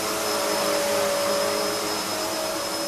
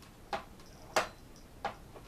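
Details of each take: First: Hoover vacuum cleaner (design since 1997): steady high motor whine with airy rush and fairly loud brush roll, no knocks or grinding; not the quietest but runs well; normal running. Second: Upright vacuum cleaner lock: three sharp plastic clicks about two-thirds of a second apart as the upright latch slips when the release knob isn't pressed hard enough; repeated, this wears the mechanism.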